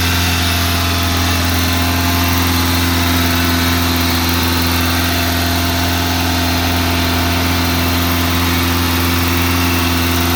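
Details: 1987 Honda Accord, 130k miles, cold start: fast idle won't kick off, staying around 2500-3000 rpm even at operating temperature; steady raised drone that never settles; high idle.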